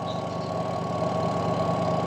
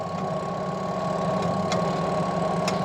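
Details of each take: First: Washing machine that would only hum and not spin, tested with the brake pulled: a steady low hum with an even whir as the spinner turns freely. Releasing the brake makes it brake and just hum again. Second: Washing machine that won't spin and only hums: a steady electrical hum with no spin-up, the motor held by the brake because its pull wire is broken. Pulling the wire lets it spin; spin motor humming, stalled by a stuck brake.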